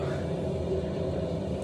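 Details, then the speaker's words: Noisy ball valve in the cistern, heard while the cistern refills after the valve is turned back on: a loud, steady low rumble and droning hum, due for replacement. "is a loud ball valve. Very loud. I can see why he wants it replaced."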